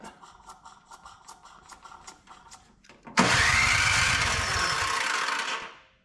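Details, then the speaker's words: Older Craftsman MTD-built snow blower, electric start after priming: light ticking then steady starter whir for seconds without firing; turns over fine, owner suspects very old gas, no-start. "Doesn't sound very good. Well, if it was going to fire, I think it would have fired by now."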